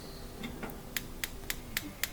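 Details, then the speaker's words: Capital gas range, front left burner won't light: faint, even igniter ticks about four a second with no spark even with burner and igniter cleaned, suggesting it's not a ground problem and pointing to failed spark module. "but when I try it same thing just to really faint sound no spark at all so makes me think that well it's not the ground problem"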